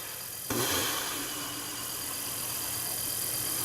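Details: Stellaphone ST450 reel-to-reel tape recorder, 61 years old, restored with a new belt kit, running for the first time in perhaps 40–45 years: the motor kicks in sharply, then settles into an even, airy whir with no rubbing, so the tape drive runs smoothly.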